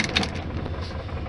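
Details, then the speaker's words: 1973 VW Super Beetle with Compufire ignition, hot restart in neutral right after a long highway run: it fires instantly into a steady, even flat-four idle with no dieseling. Normal hot restart. "starts right up right no dieseling perfect"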